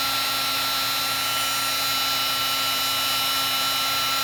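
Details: Heat gun used for heat-shrinking wiring on a Honda Monkey Yoshimura fender eliminator install: high steady fan whine with a faint rough grinding underneath; sounds horrible, owner suspects the fan is rubbing.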